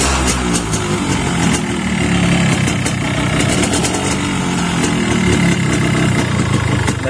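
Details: 2003-2004 Yamaha RX King two-stroke engine idling with a loud rough noise: busy metallic ticking and clatter over the exhaust burble, from a worn, loose connecting rod big end.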